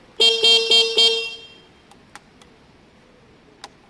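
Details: Honda Varadero 125 after replacing a blown 30 A fuse: four crisp evenly spaced toots about a quarter second apart, full and clear, then faint clicks; horn works properly.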